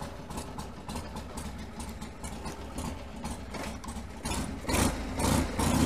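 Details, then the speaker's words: 1979 Harley-Davidson Ironhead Sportster 1000cc, first start since being ridden home about two weeks earlier: a loose, lumpy V-twin idle, steady and unhurried, with no knocks or misses. It sounds brilliant, a normal idle. "the first time I've started it I think that sounds brilliant so we'll just take it for a little ride around the block"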